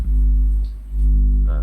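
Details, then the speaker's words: 400 W mono power amplifier, hand approaching the input board/driver: low steady mains hum swelling and fading with hand distance; unshielded input picking up hum. "Dia udah bunyi guys. Tapi bunyinya tidak sekencang disentuh langsung. Ini semakin mepet nih. Semakin mepet semakin dengung, Lur."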